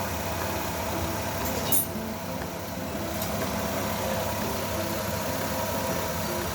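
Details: 2011 Chevrolet Lova petrol engine idling after carbon-cleaner engine flush, rechecking earlier knocking: smooth even idle with only faint injector ticking, no real knock remains.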